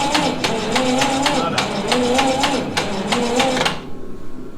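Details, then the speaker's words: Lincoln SA-200 engine welder that sat unused for years, cranked with all but one spark plug removed: the starter turns it over in rapid even strokes, slower than it should, and it never catches. Owner suspects poor booster cables (one got hot); there is no spark. "It's not whirling over real fast because imagine it's because of these. Yeah, that booster cable's hot."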